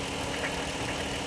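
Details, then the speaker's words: Dodge Charger brought in for a suspected tick. A low growl and rumble under a steady idle, first thought flywheel-like but traced to the aftermarket catalytic converters and exhaust; exhaust growl at idle. "yes cardio well there you go I can hear some growling oh y'all hear that right there"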